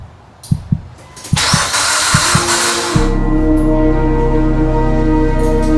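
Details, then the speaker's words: Mitsubishi Evo X engine that sat over 10 years, newly installed, cranked with coils and fuel relay removed after a back-and-forth fault; sharp clicks, then a couple of seconds of starter churning. It finally cranks. Normal cranking. "all right okay so that was the issue that was the main problem we got the car to crank unbelievable after so much back and forth"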